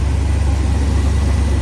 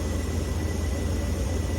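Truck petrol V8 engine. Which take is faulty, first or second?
second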